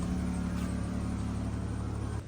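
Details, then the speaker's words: Dodge Caravan before repair, check engine on with codes for cylinder 3 misfire, fuel system and oxygen sensor reference circuit slow, white foul smoke: uneven lumpy idle with a low rumble stumbling irregularly. "Ito ang problema niya. Mausok na puti at palyado yan. Meron siyang check engine dito."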